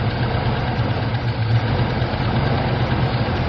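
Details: 1975 Chevy C10 idling right after restarting, having sat since 2003, about 18 years: deep, steady, even idle with no knocks or misses. Normal idle; runs pretty good.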